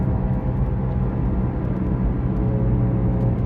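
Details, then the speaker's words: Toyota RAV4 on road test at about 45 mph, first suspected right rear hub bearing: heavy, steady low drone under road rumble holding pitch, noisiest from the differential; rear differential shot, left rear wheel bearing also needs replacing. "Okay, it looks like the differential's starting first with the noise. This is going to need a rear diff and a left rear wheel bearing."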